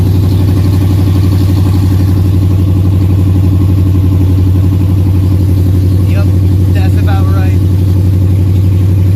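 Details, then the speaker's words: Dodge Challenger Super Bee V8 at idle after fixing loose header clamps that caused a rattle: deep, steady burble with even firing pulses and no metallic rattle; exhaust sounds healthy and sealed. "as you just heard I'm sure the car sounds a little bit different not crazy different but I fixed our rattling header situation"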